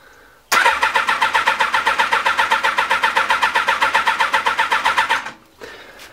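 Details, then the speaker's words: Honda CBR 1000F SC24 that stood unused a few weeks: the starter churns steadily for several seconds before it weakly catches and finally runs. It is hard starting after standing and starts easily the next day; cause not yet confirmed. "Now o coś już zaczyna łapać ale jeszcze słabo nadal słabo no i dopiero teraz zaczyna to pracować"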